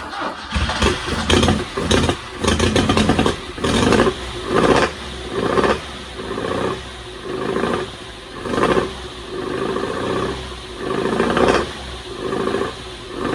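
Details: 1974 Alfa Romeo GTV 2000, built 2.0L with dual Dellorto carbs, long sitting, first start on fresh fuel: catches and surges in uneven bursts about once a second, won't idle; owner suspects carbs full of junk.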